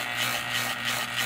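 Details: Rewound electric motor gives a low electrical hum with a soft rhythmic pulse about three times a second and runs slowly and noisily. The rewind is doubted and bushing rubbing is raised as a possibility: noisy slow-running motor, cause uncertain.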